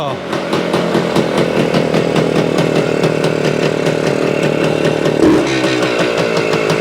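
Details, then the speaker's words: 1975 Suzuki TS-250 two-stroke, first start after stator rewiring and coil ground repair; loose stator base-plate screws had been found and fixed: rough, crackling two-stroke buzz revving and settling without misfires; running healthily. "it sounds sounds like we got a live one not sure what the problem was"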